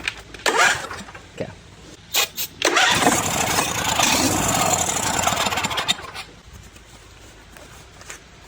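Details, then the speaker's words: John Deere D140 riding mower after replacing a starter solenoid that clicked without passing 12V: a couple of clicks, then steady cranking whir as the small engine turns over freely; normal cranking. "New solenoid is on. Plug it back up. Hook up our negative. And then theoretically, it should turn over."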